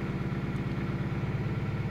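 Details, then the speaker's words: 2000 Toyota Celica GT 1.8L in Drive under load, codes P0302/P0300: low beat with uneven, stumbling pulses and dropped beats; cylinders 2 and 3 misfiring from dead and weak ignition coils. "see number two and three are misfiring at the moment now so that's this is one method to find your potential misfire on cylinders 1 through four pretty much put it to put it under load"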